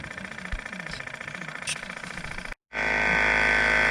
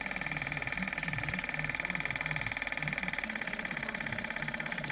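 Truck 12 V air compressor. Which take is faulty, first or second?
second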